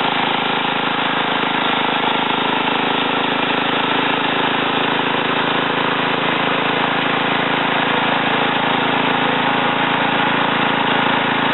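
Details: Ariens TA20A Trans-a-matic rototiller after engine rebuild and plate-clutch repair, carburetor untouched, tilling in a wooded area: even, steady single-cylinder chugging under load, no surging or missing; normal running.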